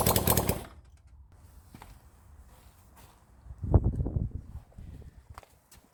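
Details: 1975 Honda CB400 Four rebuilt engine firing into life on first start: ragged bursts that catch briefly then fade to near silence; one carburettor keeps flooding, float suspected stuck.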